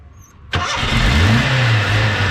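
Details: Tofaş Doğan that ran on petrol but not LPG, after the fault was found and fixed: quick crank catches within a moment and settles into a steady, even idle with no misfire or stumble; healthy start.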